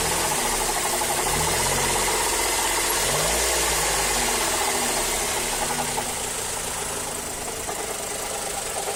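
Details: Mazda3 GT 2.0 running: steady light knocking about four per second from the engine compartment, synchronized with engine RPM; source unclear, owner suspects the A/C compressor clutch.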